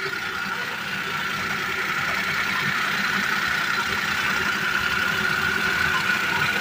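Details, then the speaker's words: Three-cylinder car engine idling after radiator water and oil were refilled, restarted after a failed first start: steady, even idle with a light whirr, no ticking or knocking, oil light off, running smoothly, oil pump now normal. "oke kali ini udah selesai mobil hidup halus pumpa oli juga udah normal"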